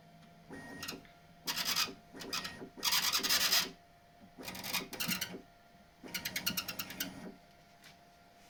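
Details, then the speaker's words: Bambu Lab X1 Carbon 3D printer, turned upside down, bed moving: short rasping squeaks, quieter after wet soap was applied with a cotton swab to the edges of the belt tensioner roller. The belt rubbed the roller edges and rubber had built up there. "Ну, поскрипывание значительно уменьшилась. Сейчас ещё подмажу немного. Конечно, мыло - это не решение проблемы, но это уже точное понимание, что это в этом месте."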